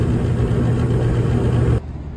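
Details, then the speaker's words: 5-ton York gas packaged unit that had not been heating: a steady low blower and burner hum with no dropouts or rattle, after fixing a thermostat wire believed pinched by the door. It heats normally. "here we are again with the door off it's running fine I'm gonna put the door back on and stand here with it and listen and make sure that that solves the issue"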